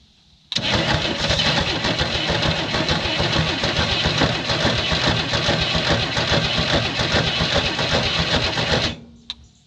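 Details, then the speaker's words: 1967 Chevy II Nova sitting 30 years, first start attempt with fuel added, no throttle control, some smoke seen: long even rough cranking for eight seconds that never catches. Cranks but won't start. "all right let's see what happens here sounds like it wants to go i did see some smoke coming up here so maybe she's wanting to fire a little"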